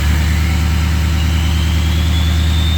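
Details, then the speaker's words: 2003 Ford 6.0 Powerstroke diesel in Drive: low heavy drone with a faint whistle slowly climbing; engine super weak, very slow to build boost, VGT behaving erratically; weak FICM (44–48 V) suspected, FICM and blue spring on order. "and it's super weak got no boost [Music] super slow to build boost"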